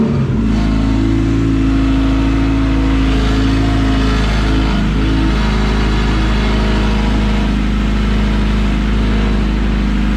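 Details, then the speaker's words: All-motor LSV-swapped Civic EF hatch after starting-fluid start: smooth, even drone with no ticking or knocking; earlier noise cured by adding missing timing gear spacer; exhaust clamp may make some noise; engine not yet warmed. "we might have some noise from the clamp to the to the exhaust so we may have to figure that out but she's quiet boys"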